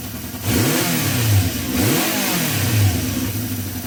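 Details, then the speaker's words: Honda CB350 after carb cleaning and balancing, started with choke off, tickover slightly on the low side. Crisp blips rise and fall cleanly twice, pitch climbs smoothly with throttle and settles to an even idle. Normal revving. "the moment bike starts runs sounds really good so I'm happy"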